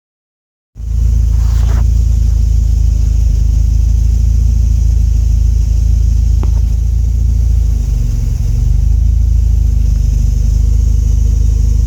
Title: Rough idle